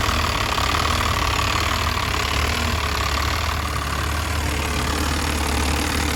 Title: VE Pump fuel leak and rough idle